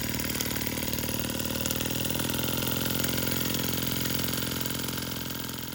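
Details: Sterlingkit model steam engine and boiler kit, running in reverse after the reversing lever was switched, with water leaking at the cylinder head: quick, even chuffing at a steady pace with a light steam hiss; running smoothly.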